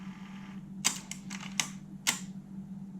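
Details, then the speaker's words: Alpine 5255 in-car cassette deck (1988, cassette-only, auto-reverse), bench-powered on 12 V with a tape in: sharp clicks every quarter to half second, no tape running, reverse mechanism flipping repeatedly; only play fails; faulty main rubber drive belt, replaced. "it's just the play that's not working I suspect that it would be a belt in here most of these cassette decks of this age suffer from belts so I'm imagining that's what it is"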